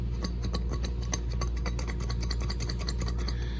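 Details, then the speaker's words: Original unit removed from a water source heat pump during a two-compressor changeout, shaken by hand. Loose, irregular light clicks, almost like a bead inside, roughly once a second. The internal cause is unconfirmed. "here you can hear a little bit of a I don't know almost like a bead or something in there"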